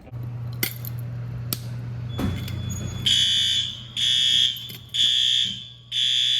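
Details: Fire alarm test at pull stations in an old 1948 school, second floor: after handling clicks, a loud shrill horn sounds in even one-second bursts about once a second, clear and steady; alarm working normally.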